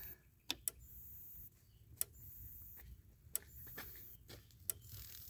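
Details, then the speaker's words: Electric fence charger with sharp ticks about every 1.5 seconds, some followed by a second snap; this faulty old charger's extra sound after each snap is the double pulse, and it was replaced with a new one. "the last one was making an extra sound it was making the snap and then another sound too so not hearing that is making me feel better about this"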